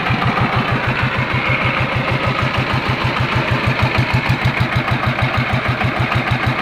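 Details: TF115 single-cylinder diesel that was hard to start, after repair and reassembly (inner bearing not yet done): steady, even chug at about three firing beats a second with no knocks or misses, good pressure; normal idle.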